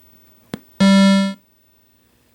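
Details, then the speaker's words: Midway Wolf Unit arcade PCB (Mortal Kombat 3) after replacing the socketed audio op amp: power-up gives a short clean synth tone then near silence, no hiss or static; audio output clean. "quiet as a mouse we'll skip past the ROM [Music] check quiet as a mouse"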